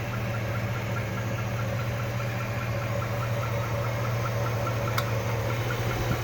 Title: Weird engine noise